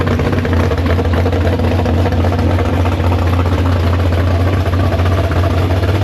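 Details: Big-block Chevy V8 in the Farm Fresh gasser, downjetted 750 carb: deep, lopey idle with steady beat and strong low rumble, no ticks or misses. Normal, healthy idle.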